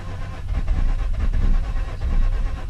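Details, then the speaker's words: Mazda RX-8 rotary, parked about a month, being de-flooded: cranks with uneven surges as throttle is feathered, trying to fire but not catching; flooded engine. "you let it sit for a month you it's gonna be flooded which only that long it shouldn't be that bad"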